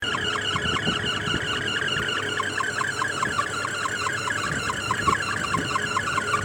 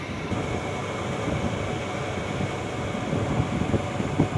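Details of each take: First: Package AC indoor unit: pulsing high squeal with steady chirping rhythm over the blower hum, traced on inspection to the drive belt slipping; greasing the belt eliminated the noise and the AC then ran smoothly. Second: Package AC indoor unit after greasing the belt that was causing an unusual noise; blower runs with a steady, even rumble and no belt squeal or slap; noise gone, normal running.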